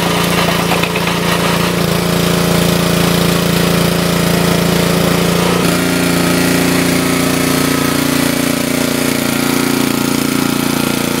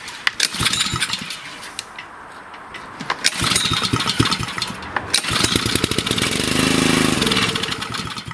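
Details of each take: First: Wood splitter Honda single-cylinder engine, sat 5 to 10 years, after carburetor replacement (Honda 16100-Z1A-802): steady firm beat, bogging slightly as load comes on around six seconds then recovering cleanly; normal under load. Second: Honda engine on a wood splitter, sat unused about 5–10 years, air filter off, choke on: quick pulls, a ragged catch that sputters a few seconds then dies; starts and dies right away, likely a gummed carburetor.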